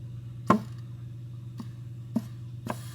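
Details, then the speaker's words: 4L80E transmission on the bench during teardown, air applied to a clutch circuit: solid thump, softer knocks, then hiss of escaping air over steady hum; the clutch is applying. "can hear your clutch there should i get this off i don't want to blow any oil on anybody"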